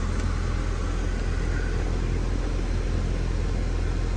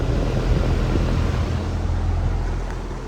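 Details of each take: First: Goodman AC outdoor unit compressor starting and running with a steady deep hum after the capacitor was replaced; before, it only hummed and buzzed and stopped while the fan ran. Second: Goodman AC outdoor unit: condenser fan runs but compressor doesn't start, low steady electrical hum that stops when it kicks on; failed capacitor, fixed by capacitor change; coils somewhat dirty.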